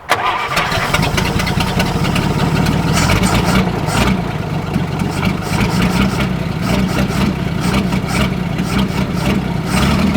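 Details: 1947 Chrysler Royal, junkyard car with old Fluid Drive transmission, first restarted weeks earlier: brief crank, engine catches and settles into a steady, fairly even idle with a few throttle blips; normal start.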